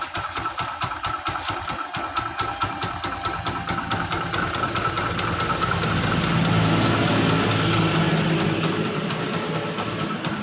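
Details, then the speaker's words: Old Hero Splendor Plus motorcycle after repair that fixed a magnet noise (carburettor refitted): even idle thump about two beats a second, swelling smoothly with throttle blips and settling back; normal idle, noise gone. "Bike की आवाज़ अब और नहीं कोई समस्या उत्पन्न नहीं हो रही है ."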